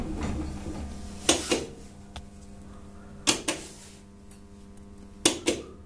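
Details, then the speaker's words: LG inverter Direct Drive 10 kg top-load washer in spin mode: paired clunks about every two seconds, three tries, the lid lock never engaging, then a DL error. Door lock faulty, reed switch inspected. "लेकिन door lock नहीं हो रहा और door lock का error आ गया D L"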